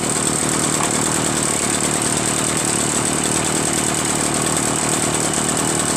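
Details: Echo PB-403T two-stroke backpack leaf blower, reassembled after carburetor cleaning, magneto reinstall and kill wire removal: constant buzzy note at steady speed, no surging, misfires or hunting; normal idle.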